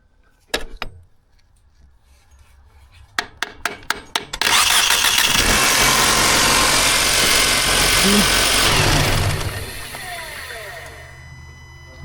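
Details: 2012 Mercedes-Benz C250 W204 1.8L turbo, no crank no start with full battery power: sharp raps tapping the starter, then engine cranks briefly and catches to steady idle; faulty sticking starter motor, later replaced.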